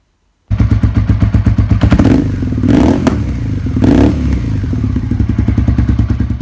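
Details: Suzuki SV650 after fitting a new activated Yuasa YT12A-BS battery, following electrical problems, fires up and settles into a steady, even V-twin thump with crisp regular exhaust pulses; healthy running engine.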